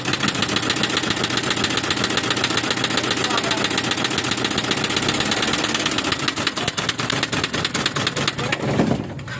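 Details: Isuzu 4HL1 diesel knocking at idle: busy, hard, somewhat uneven clatter and ticking with a knock; piston damage suspected, not confirmed.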